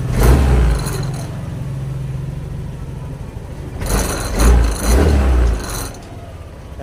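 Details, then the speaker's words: Yamaha Aerox scooter after throttle body and injector cleaning and ISC reset: two quick throttle blips, each falling straight back to a steady idle with no hang. Previously high idle and slow rev drop; response now good. "maganda na rin ang response ng motor mga idol"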